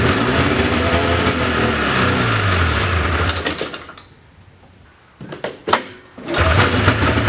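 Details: 1979 John Deere Cyclone 340 two-stroke snowmobile, probably bad fuel, choke on at end: buzzy uneven running that fades, nearly stalls, coughs and picks up; fuel pump works but pulls little, owner suspects fuel starvation or gummed carb idle circuit.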